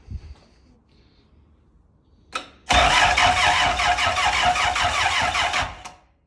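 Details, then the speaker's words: Car on axle stands, first test start after engine work, no alternator, belt or cooling connected: starter cranks steadily about three seconds without catching, no fuel pump priming heard; owner suspects no fuel delivery. "Okay. I cannot hear the fuel pump priming when I'm in there. So it might not be getting fuel."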